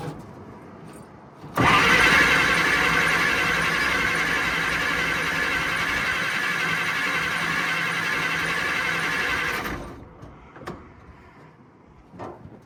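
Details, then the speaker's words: 1940 Dodge VFA32 winch truck, 85-year-old engine, first start: catches and settles into loud, rough, tractor-like chugging run about eight seconds before shutting off; no pops, motor seems healthy, fuel sitting in Zenith carb. "It's pretty cool. It sounds like a freaking tractor, but um not so much as a pop."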